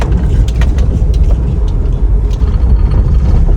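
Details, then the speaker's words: Daihatsu Terios under warranty, returned after a failed suspension repair and driven over a bad road; irregular hollow knocks and clatters from the left shock area, with steering-rack damage found later, exact cause unconfirmed. "Kalian dengerin deh, bunyi mobil gua tuh udah kayak gerobak. Rame banget, Jon. Nih, Mas. Saya coba bawa jalan jelek lagi. Di shok bagian kiri ada bunyi-bunyi tuh."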